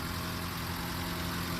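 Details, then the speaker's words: 75-year-old petrol car being revived, after a test drive: even, steady idle with no stumbles, sputter or misses and a smooth low drone; not smoking or overheating, healthy running. "okay that's a pretty good test run that's the best one yet doesn't sputter runs"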